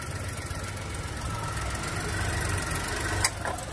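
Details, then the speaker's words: Volkswagen Polo petrol at idle after the cut thermostat/fan wiring was rejoined to fix the radiator fan running at start: an even, healthy idle, then a sharp click as the AC compressor engages. The AC previously would not switch on. "మన compressor on అయిపోయింది."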